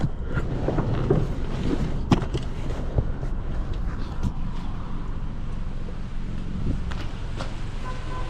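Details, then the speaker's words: 2017 Toyota Camry, key off and removed, occupant detection module unplugged: low steady idle rumble continues; engine still running, so not that module or the airbag module, cause unfound. "Yep. Still running. So, it's not that module and it's not the airbag module."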